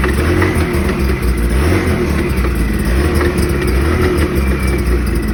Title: ski doo NEO+ engine knocking